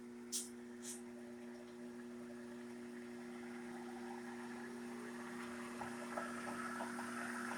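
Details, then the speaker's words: Shopsmith woodworking machine after two days of restoration, running at high speed (unmeasured, tachometer planned); smooth, steady hum with constant tone and gentle whir, no knocks or grinding; normal running. "We got that machine all running. It's still running."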